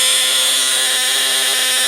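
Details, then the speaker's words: Snap Circuits project 589 AC voltage, relay driving transformer, speaker and LEDs: loud steady high-pitched buzz, contacts chattering very fast, LEDs lit; relay working as designed. "can see that it's a little hard to talk over how loud the relay is here, but as you see when the circuit's on, our LEDs light up and we can hear the relay quite clearly through there."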